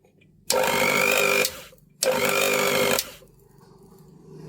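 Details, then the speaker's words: Singer mixer grinder motor on power-up: two short bursts of harsh, crackling high roar cutting in and out, sparking and smoke at burnt carbon brushes; fix is replacing the carbon brushes. "দেখুন পাওয়ার দিয়ে সঙ্গে সঙ্গে স্পারক হচ্ছে আর ধোয়া বেরচ্ছে। Main হচ্ছে এটার carbon ব্রেশ জ্বলে গেছে।"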